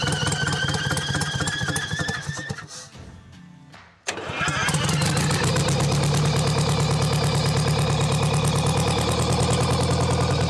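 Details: Champion motor grader with Detroit Diesel, locked up 7 years, freed with Marvel Mystery Oil and refitted with the other filter: runs, drops out briefly, then catches and settles into a steady even diesel beat about three firings a second; water later found in fuel tank.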